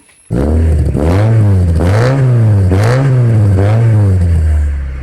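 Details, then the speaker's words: Homemade petrol off-road buggy with its fuel system fully connected, started up: the engine revs up and down in uneven waves with a rough, stumbling note, and a slight misfire remains that still needs clearing. "ചെറിയ missing കാര്യങ്ങളൊക്കെ ഉണ്ട് കേട്ടോ, ഒന്ന് clear ആക്കാനുണ്ട്."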